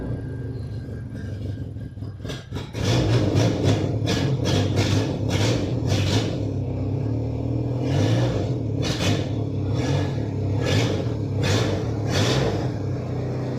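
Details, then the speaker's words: Holed exhaust before replacement, engine running and blipped: loud raw rumble with rough bursts, louder and harsher than normal, recorded to compare with the new exhaust; exhaust leak. "Chose qu'on peut faire, c'est démarrer pour se rappeler le bruit que fait cet échappement avant de le changer. On va voir s'il y a vraiment une grosse différence entre un échappement percé et un échappement pas percé."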